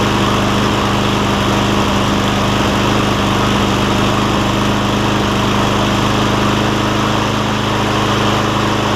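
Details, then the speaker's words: Cub Cadet SR621 mower with a Kawasaki engine, just after carburetor replacement and with old gas diluted: it drones with irregular stumbles for the first 30 seconds to a minute until the mixture settles, then runs great. Uneven running during warm-up. "I don't know how well that camera picks it up, but you can hear, I can hear at least, that it takes about 30 seconds to a minute for it to pick up the right rhythm or the right fuel air mix, and then it takes on off and runs great after that."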